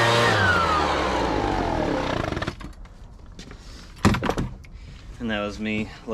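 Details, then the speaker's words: Husqvarna 435 X-Torq chainsaw that had been running fine: it buzzes high, then sags and dies within seconds once the throttle is released, sounding fuel-starved. The owner suspects dirt clogging a carburetor jet. "so as soon as I let off the throttle it dies and it also sounds like it's kind of starving for fuel"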